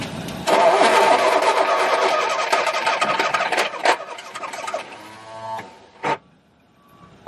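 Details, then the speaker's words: Very early 1969 Ford Capri MK1 barn find, not run for many years, cranking attempt: labouring, uneven crank about three turns a second that drags and dies away; power lost at a red-hot, overheated battery connection. "can you do that connection yeah losing power there all right yeah yeah we're losing that power there"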